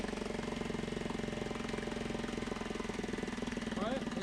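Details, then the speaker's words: Mariner 3.5 HP four-stroke outboard after oil, gear oil, spark plug and pump impeller service, tested in a water bucket, idling in neutral: quick even putter, steady pulses, no stumbles, water flowing, running perfectly. "Molt bé, fantàstic. Ja veiem que té bastanta aigua. I ja està llest per la sessió. D'acord? Funcionant perfectament."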